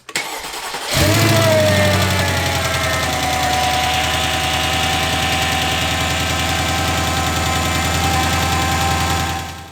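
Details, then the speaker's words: C55 AMG 5.4 M113 V8, after replacing valve cover gaskets and 6 of its 24 lifters: cranks, catches and idles steady and much quieter; a faint light tick remains. "the car is running so much better it's so much quieter there's still a little bit of noise"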